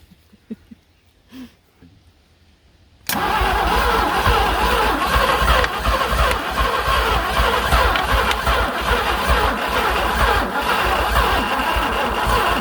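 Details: 1967 Thunderbird with 428, sat about 30 years: after a pause the starter spins slowly and laboriously on a jumped battery, starter getting hot; they suspect a run-down battery or a burned-up starter.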